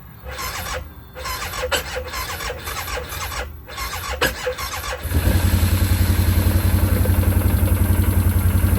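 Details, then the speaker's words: 2009 Arctic Cat 1000 quad at 197 hours: sluggish, labored cranking at about four beats a second before it catches and starts; suspected low battery voltage, weak starter or bad solenoid, fixed afterward with a new starter. "So So it does crank right up. There's a little slow crank to it at first, but it it eventually starts."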